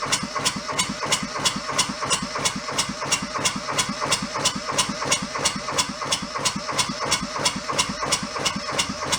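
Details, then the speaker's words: Junked small Kubota diesel fed from a bottle of diesel, hose squeezed to prime: sharp, even clatter near three beats a second at idle after catching, but air returns to the fuel line so it won't keep running. "look we had it and then it went back to air again"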